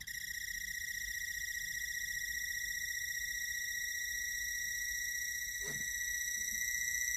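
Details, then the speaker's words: Christmas projection light slow rotational motor, tested after disassembly: thin, steady high-pitched whistle that grows louder as it runs; suspected planetary gearset inside the motor housing whining. "Because it starts slow, and you can hear the sound just gets louder and louder and louder. So I think there's a planetary motor gear set, maybe."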